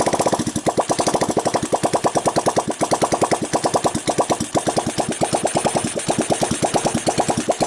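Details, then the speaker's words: 1985 Honda ATC 200X junkyard three-wheeler single-cylinder on cold start with a new 4-pin DC CDI, run until out of fuel: steady even thump about three beats a second, no valve, timing chain or bottom-end noise; normal idle. "Sounds good, no valve noise, no timing chain noise, no pump bumps in the bottom."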